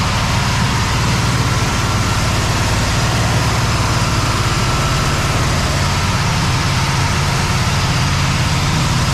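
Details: Cadillac ("Lil Debby") holding a steady, even low idle with no stumbles or misses, after fuel-system diagnosis of a brand-new but failing fuel pump; running without a fuel return, possible vapor lock suspected; return-style filter still to be refitted. Normal idle.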